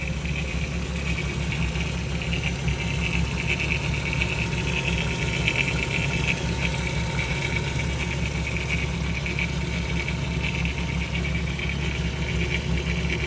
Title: 2002 Eurovan spray can rattle sound (240k miles)